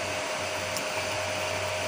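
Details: Home-built 15 A CT 55 power amplifier with cooling fans and an MCRD V2 driver: steady airy whir with a constant mid tone, no rattles or speed wobble; the cooling fans run normally.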